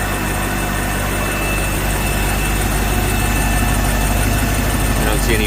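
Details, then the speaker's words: Volvo Penta 6.0 marine inboard, first start after head gasket install, water on: steady, even idle with a smooth low rumble, no knocks, misses or ticking; sounds good, no leaks seen. "let's see she should fire right up [Music] it sounds good"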